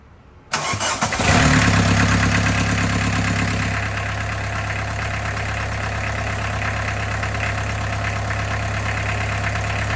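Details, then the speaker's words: 1991 VW Jetta GL diesel after baseline service (oil change, air and fuel filters, new timing belt): brief crank, catches at once, steady even idle clatter with no knocks; runs as before, temperature normal. "it's been running for about 10 minutes now uh yeah no sounds good sounds just like I did before"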